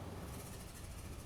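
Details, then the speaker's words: 2007 Toyota FJ Cruiser with P0016 bank 1 cam correlation code and suspected stretched timing chain, idling: idle turns uneven and drags down when the bank 1 oil control valve is commanded by scan tool, showing the valve works. "You can hear our idle go wonky when we line up or we hit bank 1."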